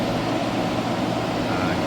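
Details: Hyundai portable AC after leak repair and recharge (it had gone warm after two weeks), cooling with condensation building rapidly: steady, even whoosh of fan air over a low compressor hum, no rattles or surging, running normally.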